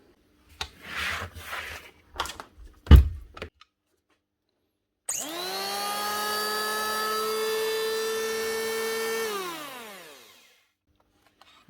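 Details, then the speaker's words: 2013 Hitachi P20SF electric planer after new bearings and a new cable: spins up to a clean, steady whine and winds down evenly with no rattle, grind or vibration; normal running after repair. "better no more vibrations knobs not moving you're running and sounding a lot smoother"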